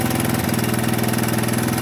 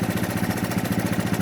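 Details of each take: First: 1983 Honda ATC 200 three-wheeler, single-cylinder, mic beside the engine, before carburetor idle screw adjustment: fast, even pulses around seventeen a second with no throttle; idle speed set too high. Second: 1983 Honda ATC 200 single-cylinder, idling high, after a tiny carburetor adjustment, mic right next to engine: even steady putter, no misses or hunting; idle sounds much better.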